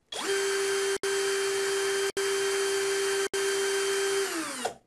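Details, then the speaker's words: DEKO DKBL20DU3 20V brushless cordless drill, chuck spun after tightening the loosened internal screw: clean, steady motor whir at constant pitch over four short runs, no wobble rattle; normal, true chuck rotation. "Da quel momento, gira benissimo."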